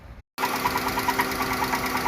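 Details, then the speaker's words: 2016 Dodge Grand Caravan 3.6 idling with valve train noise from the rear valve cover: sharp, even tick about nine to ten times a second. Suspected loose rockers or lifters. Fixed by replacing camshaft and lifters. "Got some valve train noise in this Dodge 3.6 rear cover. So the intake's got to come off. I'm betting that we've got some loose rockers or lifters."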